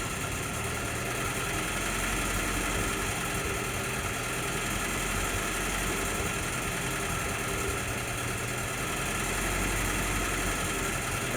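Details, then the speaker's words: 1952 Jeep M38A1 with choke fully off: idle surges and dips unevenly instead of holding steady; owner suspects the carburettor float bowl or float level, despite carb cleaner and idle mixture adjustments. "you certainly kind of hear that that surging that inconsistency. So again, in my mind, I'm thinking float bowl or float level."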